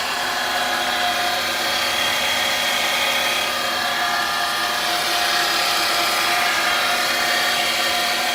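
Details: 2008 Mercedes-Benz C300: constant high-pitched drone over the engine that doesn't fade even after running a while; cause was the alternator, replaced and noise gone.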